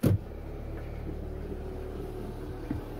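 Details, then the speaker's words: RV water pump switched on after a priming line was installed: a click, then a steady low electric hum as it draws water and pressurizes, hot water tank filling; running normally. "water pump's definitely working just started pulling down the water so that's good so it should be pressurizing"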